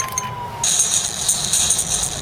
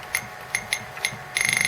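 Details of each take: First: Atari Falcon 060 with a newly fitted small internal speaker playing a demo: tinny, harsh playback with a crackly buzz over the highs; the speaker is overloaded and distorting. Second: Atari Falcon 060 with newly fitted 5-watt internal speaker under test; clean, high-pitched beeps, single chirps then a quick pulsing run, slightly thin and tinny: normal speaker beep.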